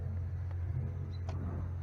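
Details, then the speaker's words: Cummins ISX heavy diesel, recently in-framed, idles roughly with a deep, uneven rumble that wavers; bad pressure sensor, timing/fueling actuators, cam sensor and an oil-filled fuel pump relay are being replaced. "It was in-framed, and they sent this back to the guy like this. Just terrible idle, and you know, pressure sensor's bad."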